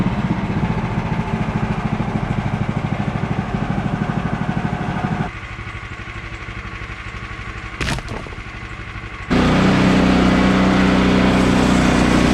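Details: Bandsaw mill cutting 3/4 x 6 inch boards after the Pine-Sol lubricant was cut back; too much had probably made the blade slip off the bandwheel belt. Steady engine thrum, even beat; load comes on for the cut and it pulls through smoothly; normal.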